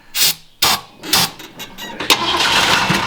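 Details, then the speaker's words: Mustang, possibly not started for about 2.5 years, on starter fluid. Three or four sharp starter bursts, then a rough, hissing crank that never catches; it turns over but won't start. "It kind of cranked over though, right? Yeah, I think it might do it"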